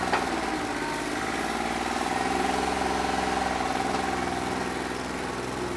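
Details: New Holland 1320 diesel tractor with a bad injector, running on about 2¼–2.5 cylinders: uneven, lumpy idle at around three to four pulses a second; owner thinks it needs an injector.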